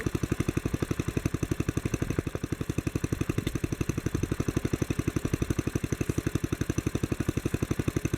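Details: Old Bolens garden tractor (tag Type 21HD01, owner thinks 1957), sat for years, after cleaning points, carburettor and replacing fuel tank, main jet adjusted: steady single-cylinder putt about three beats a second, even, no misses; running healthy.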